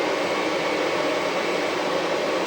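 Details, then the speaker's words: HPEVS AC-50 induction motor on a Curtis 1239-8501 144 V 500 A controller, bench test without high-voltage pack. It runs with a smooth, even whir at speed. The noise heard at start-up goes away once up to speed; owner blames the controller, since the motor starts silently on the old 96 V controller. "that noise goes away. But, it's that starting that kind of bothersome."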